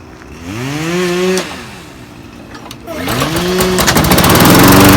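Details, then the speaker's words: Toro Recycler 22in mower, Briggs & Stratton Quantum 190cc ReadyStart, after oil change to SAE 10W-40: small single catches, revs and settles to a strong steady buzz; runs cleanly. "all right guys so that was the easy fix just changed the oil and runs perfectly and it's in really good condition too"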